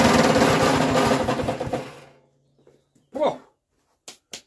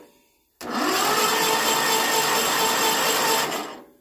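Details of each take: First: Westwood ride-on mower with an 18HP Kohler Magnum twin, started after 23 years idle: rough, rattling clatter for about two seconds, then it dies. Owner suspects something catching, possibly a belt still on the bottom pulley. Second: Westwood ride-on mower with an 18 HP Kohler Magnum twin, unused for 23 years, after freeing bent tinwork that was rubbing the flywheel: about three seconds of even, fast starter whir with no scraping; it now turns over freely and quietly.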